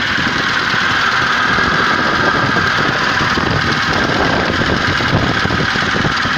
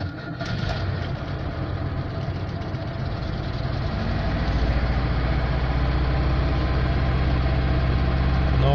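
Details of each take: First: Zhiguli just thawed after water froze in the engine at -1°C, block warming so the water can be drained: steady idle with an even mid-range hum and light rattle, no clear knock or miss; running normally. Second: Frozen engine run on water at -1°C, thawed with a heat gun and started on a recharged battery: catches and runs low and uneven, barely holding revs and slowly building; starts but won't hold a proper idle.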